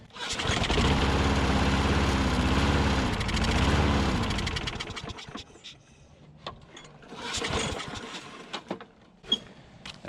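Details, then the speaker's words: Older Troy Bilt push mower leaking fuel at carburetor float bowl: catches and runs a few seconds with wavering speed, then dies and only sputters on later pulls; hard starting, owner suspects bad bowl gasket/O-ring starving fuel, planning new O-ring. "yeah we're leaking fuel i think it's got a a bad gasket on the float bowl let's see if it'll start"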